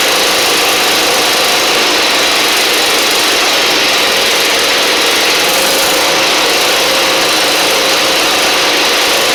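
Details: Husqvarna LGT2654 Briggs V-twin mower engine: rough, uneven running with a loping beat and heavy smoke in the garage. The left cylinder isn't firing despite visible spark; a pushrod or cylinder head issue is suspected.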